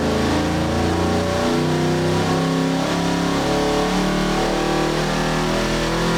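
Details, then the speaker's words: 632 Big Block Chevy V8 for a 1989 Chevrolet C1500, dyno pull at 34° timing, slightly leaned out: deep, clean roar climbing smoothly through the revs under full load, no knocks or misses, over 600 lb-ft throughout; healthy engine. "Yeah, it definitely sounds mean. It looks killer. Y'all done a great job."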